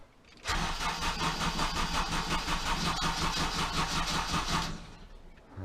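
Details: Honda Civic Type R EP3 with replacement ECU just installed: cranks and catches but runs lumpy and uneven, pulsing about three times a second before dying; suspected failed injector driver in the ECU, not confirmed.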